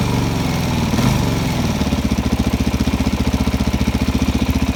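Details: Suzuki DRZ400SM single-cylinder idling warm: a steady light tick at three to four beats a second. It began after riding about 50 km with fuel in the oil; the cause is unknown.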